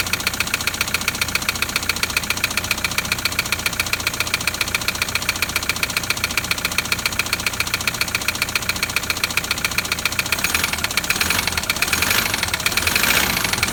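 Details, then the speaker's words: Toyota Land Cruiser LC120 diesel at idle: loud, sharp metallic tapping about four knocks a second over a steady idle. It is suspected to be a piston tapping the cylinder head, possibly with cracked pistons, from neglected maintenance; not yet confirmed. "so with this one i heard the same noise straight away you know there's a number of things it could be but that loud tapping i straight away believe to be the piston tapping on the head okay"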